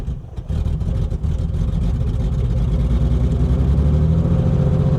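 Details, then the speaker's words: 1984 BMW 633 CSi auction car started with half a tank of gas, oil, coolant and spark: engine fires and sputters unevenly as the throttle is pumped, revs hunting. It will not stay running. "She just doesn't want to stay running. I have a half a tank of gasoline."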